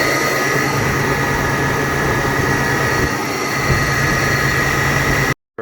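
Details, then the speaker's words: Toyota 4Runner 5VZ-FE at idle with power steering and AC belts removed, only the alternator belt fitted: constant high whine over steady idle, like an unlubricated bearing or pulley. "as you guys just heard sound is still coming like there's no that sick of some sort of pulley or it's a bearing or something that is not lubricated or without any grease"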